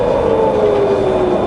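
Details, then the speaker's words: Fully rebuilt Bridgeport variable-speed milling machine, spindle in low range, speed coming down from 300 toward 60: smooth quiet whir easing lower in tone, no knocking or grinding; head healthy in low range. "Push this handle in, turn it round, make sure it's locked in, and then we can fire up. It's just as quiet in low range."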